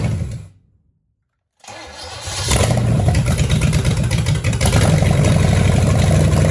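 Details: 1966 Chevelle small-block Chevy V8 from a barn find, first firing after flooding and three plug wires on wrong: catches after a gap into a loud, ragged, stumbling misfiring idle. Suspected: broken carburetor bolt sucking air, timing eyeballed, old ignition.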